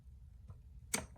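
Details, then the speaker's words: Non-running 2013 Suzuki RMZ250 with an adjusted clutch lever and perch: with the engine off, pulling the lever gives a faint click, a sharp pop, then another click on return; something catches in the clutch release, cause unknown. "I don't know if you can hear that clicking it's like it goes and then there's a pop and then it clicks when it goes back"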